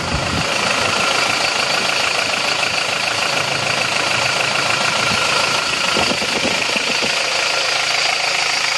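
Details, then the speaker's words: Isuzu D-Max diesel after repair of vibration (injector nozzles fitted), idle with AC on, set a bit raised (below about 900 rpm, midway so it is not too high without AC); steady, AC fan hiss, no hunting or shaking; normal. "jadi ini adalah RPM kondisi AC kalau kita tinggikan dikit ini tidak goyang tapi tanpa ac-nya nanti ketinggian jadi ini kita ambil tengah-tengahnya saja"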